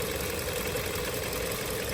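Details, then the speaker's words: 2023 Hyundai Tucson petrol engine at 23,000 miles, over 1,000 miles after adding Snake Oil additive: soft, even idle hum with faint steady tone, no ticking or knocking; quiet, healthy normal idle. "You can see how quiet the engine is. Hardly moving."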